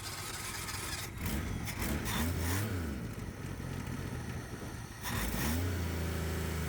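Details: V6 swapped into a 1962 Ford Falcon abandoned 40+ years: engine pulls up cleanly through a few quick revs, pitch rising and falling smoothly, then holds a steady idle; running right.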